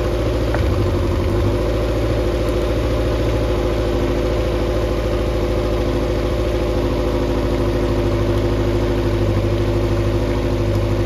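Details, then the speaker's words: Mercury 90 hp four-cylinder outboard on a Shetland 535, out of the water after the spark plug swap: steady low drone with an even beat at fast idle and no stumble; should now run on all four, previously three. "I can still hear this it should run on all four now it was only running on three"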